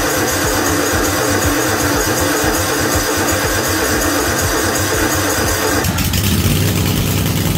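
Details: Free Cub Cadet RZT-50 zero-turn mower engine, previously non-starting after sitting years, now with replaced crankshaft seal and new aftermarket carburetor (original freeze-damaged): steady, even smooth drone holding its rhythm, no misses or knocks, runs healthy.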